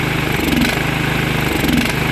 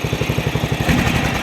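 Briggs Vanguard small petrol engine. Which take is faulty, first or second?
first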